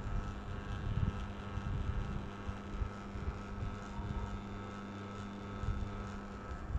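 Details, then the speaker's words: Panasonic F-M14C7 ceiling fan runs with a steady electrical hum and uneven low rumble because its control circuit board is too weak to spin it properly; the fix is replacing the board. "If you have this sound, actually it's not because of other things, it's because of the circuit board itself. The circuit board itself is not strong enough to do a proper spin, hence you can hear this sound."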